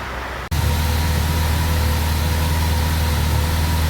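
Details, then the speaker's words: Subaru Impreza GC8 rally car with new Project X EJ20X engine, twin-scroll turbo and equal-length headers, replacing engine that failed #2 rod bearing; first run shows steady, even low burble at idle with no knocks or ticks: normal idle. "trooper is up and running everyone's smiling"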